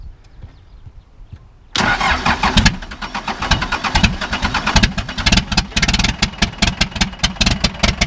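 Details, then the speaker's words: 2000 Ford F150 with swapped 4BT diesel and M5R2 five-speed, cold start: brief crank, then even rapid diesel clatter with no knock and a little white smoke; sounds tight, heavy vibration into the transmission noted. "she sounds good a little bit of white smoke but I was cold but it's cold God she sounds good she sounds tight"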